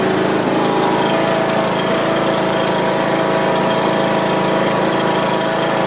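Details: John Deere lawn tractor Briggs & Stratton single-cylinder engine after replacing a broken push rod and adjusting valve clearance, oil degreased off; steady, even idle with no knocking or tapping, running pretty good.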